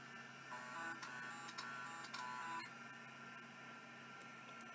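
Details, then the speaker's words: Seagate ST4144 vintage hard drive on power-up: a spindle hum with quick ticking head seeks around four per second and a parking click. The drive sounds like it is working. "I think that one's working yeah it sounded like it parked and everything so I think this one is actually working nice"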